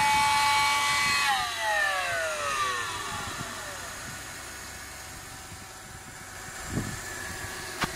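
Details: 2008 Mercedes E300, newly bought: high whine at start-up sweeping down as revs fall to idle, then fading; source unknown, owner suspects alternator or A/C, A/C compressor not running.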